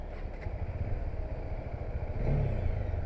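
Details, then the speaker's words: Bajaj Dominar 400 single-cylinder engine just started for a test ride: deep, even low thumping with a few small throttle blips, no knocks or rattles, said to sound like an inline twin; healthy normal idle. "so it has got inline 2 sound, which is pretty neat."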